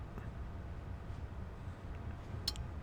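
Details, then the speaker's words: Marantz 2500 receiver after service including new protection relay driver transistor: single crisp click over faint hum at power-on; protect circuit engaging normally, with proper bias and good DC offset. "there it is so the protect circuit came in everything is up and running"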